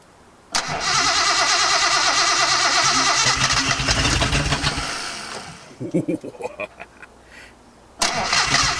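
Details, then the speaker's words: 280Z on a revival project during ignition-system troubleshooting, throttle jammed open: about five seconds of hard cranking with ragged catches and a few weak bursts that never keep it running; cranking, no start. It later fires once fuel is added. "Oh, that is so close. Alright, let's get some starting fluid, not starting fluid, let's get some fuel, actual fuel in the thing."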